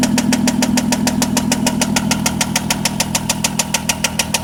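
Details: 2003 VW Jetta 24v engine at idle: a sharp, even tapping at roughly three per second over a steady idle, an engine knock with the source not yet pinned down.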